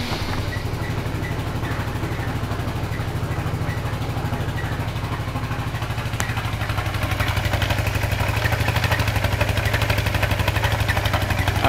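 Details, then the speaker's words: Suzuki Burgman scooter on center stand, rear wheel nearly locked when off: steady idle putter with a thin belt squeal as the rear wheel turns at idle; owner suspects the drive clutch not releasing, unconfirmed. "right off the bat you're hearing the squeeing from the belt and you're seeing the back wheel turning as it's on the center stand"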